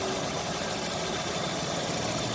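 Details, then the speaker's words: Chevrolet Optra with slight misfire, jerky running and long cranking to start, engine idling with cover open; uneven stumbling beat under a busy hiss; coil current tested low on cylinders 2 and 3, which are underperforming, while cylinder 1 is fine. "ये धड़क रहा है इंजन कितना ज्यादा, तो अभी इसे चेक करने वाले हैं।"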